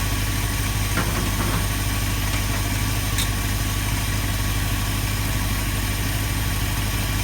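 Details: 1972 Ford F250 with 360 V8 and four-barrel carburetor, after a Pertronix Flame Thrower II distributor, coil, cables and plugs install and idle mixture screw adjustment: steady, even low rumble with a regular beat and no misses or knocks; normal idle.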